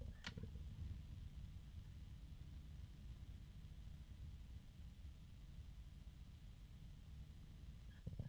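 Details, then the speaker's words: Thermalright Frozen Notte 360 ARGB AIO CPU cooler fans at normal load, microphone close to the fans: only a faint, even low hum with nothing rising above it; fans running quietly and normally. "so as you can see they're not making very much noise and that was with the microphone about this far from the fans"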